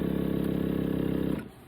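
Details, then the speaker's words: 1985 Honda Gold Wing GL1200 air-ride suspension compressor, run via the front/rear increase buttons: fast even electric pump chatter at steady pitch, then a clean cutoff; the compressor works and the system holds pressure. "Front, rear, if you hold those and push the increase or decrease buttons, it does work, which is awesome. A lot of the times these are broke, so you can hear that."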